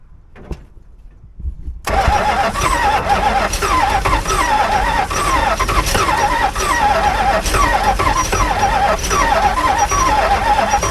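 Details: 1965 Barracuda with a 273 V8, being fed fuel by hand. The starter spins the engine for about nine seconds at a steady four-beats-a-second chug, but it never fires.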